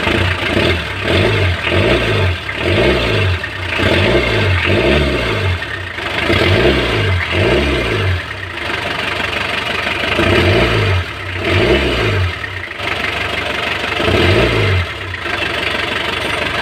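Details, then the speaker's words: Mitsubishi L300 van engine revving smoothly after all rocker arms were replaced (adjusters transferred, valve clearances checked); the earlier slapping noise suspected from a leaking intake valve is gone. "Ayan nawala na yung lagapak niya. Wala na yung tunog."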